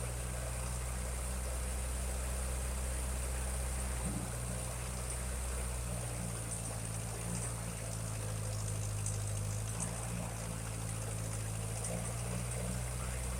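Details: 1956 Ferguson TO35 tractor gasoline engine after draining water from the tank, sediment bowl and float bowl, earlier stumbling at idle: steady, even low putter with no stumbling or misses over a faint high hiss; idling cleanly, with a suspected exhaust leak near number 4 cylinder.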